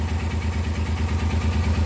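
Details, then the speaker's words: Suzuki Carry multicab engine idling with the brake booster (hydrovac) vacuum hose from the intake manifold opened as a test: low, uneven pulsing lumpy idle, engine shaking; vacuum leak. "Pero nanginginig yung under ng ating makina. Kung titingnan natin dito, ito yung vacuum nya, oh."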